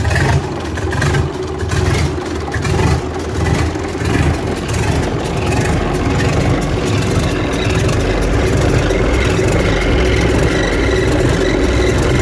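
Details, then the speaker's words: Gardner diesel engine at idle after its timing chain was re-tensioned: a slow, heavy, steady thump with the earlier timing-case chain rattle now gone. The engine sits in a shipping frame in a shed. "you should uh gather that the rattle that was there before is now gone"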